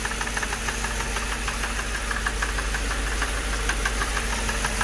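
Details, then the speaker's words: 2006 Mercedes CLS 500 at idle: fast steady rattle of light taps, about three per second, over a smooth idle, source unknown and not normal; engine also has a misfire. "Sound like the drum line at a football game. What is that? I can't tell where it's coming from. I know it ain't normal."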